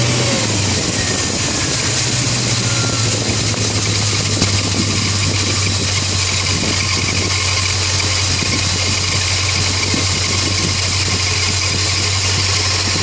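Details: 1995 BMW E38 740i, M60B40 V8 at 281,000 km, idling at cold start: steady shrill squeal over an even hum from a failing, probably original water pump bearing; occurs only at start-up, not every time, for the last 30,000 km; tightening belt temporarily stops it.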